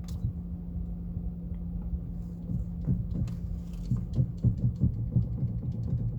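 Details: Car running, standing still, steering wheel turned sharply: dull irregular clunks in bursts over steady low engine hum, no knock while driving; steering rack bushing worn (temporary one fitted), stabilizer bushings broken; steering knock.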